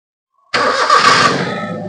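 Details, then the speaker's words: Maruti Suzuki Zen Estilo with low pickup and poor mileage complaint, restarted after air filter work; engine catches cleanly on first crank and settles into smooth idle, earlier heavy shaking and misfire now gone; normal start and idle. "Start ചെയ്യുമ്പോൾ നേരത്തെ engine നല്ല തുള്ളൽ ഉണ്ടായിരുന്നടത്ത് ഇപ്പോ വേറെ മിസ്സിങ്ങോ കാര്യങ്ങളോ ഒന്നും ഇല്ല"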